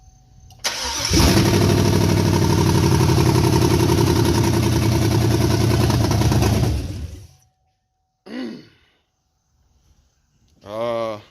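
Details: GM 5.3 V8 after bent-rod repair, first start with open exhaust and no alternator: fires and settles into a loud, even run with a steady beat, no knocks heard, though too loud to judge small noises; normal running.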